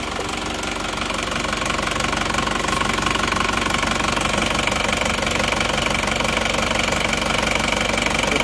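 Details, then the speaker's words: Isuzu Panther diesel that had 15 bar compression, cold idle after new rings: steady, even idle at about three beats a second with no knock or misfire; smoother than before the repair. "ya tidak seperti kemarin Kelihatannya sudah lebih halus lebih renyah"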